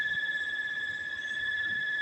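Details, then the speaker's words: Air conditioner that cools fine but whines, unnoticeable by day but too loud at night: constant high-pitched whine at one steady pitch over faint hum; abnormal noise, cause not yet found. "Hindi siya halata pag araw. Pag matulog ka na, masyadong malakas na yung ingay niyan."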